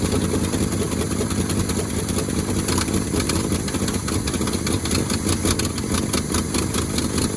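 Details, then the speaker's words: 1971 Ford Highboy boom truck, cold start at about two below zero after switching to a 950 cold-cranking-amp battery: steady, even low rumble with no misses or knocks, settling quickly into a smooth idle. "amazing what a good battery will do she's even sitting there idling already"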